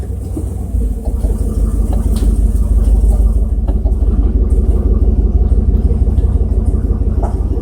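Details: 1994 GMC Sierra 3500 5.7L automatic after transmission fluid change, driving: loud deep roar holding high climbing revs with no upshift; stuck in first gear, cause unconfirmed.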